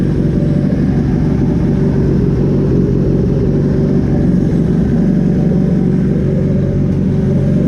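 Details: Dune vehicle on E85 with an A1000 fuel pump newly fed from a relay, fired cold after building fuel pressure: smooth, even, full-throated note holding steady with no misses or knocks; running healthy.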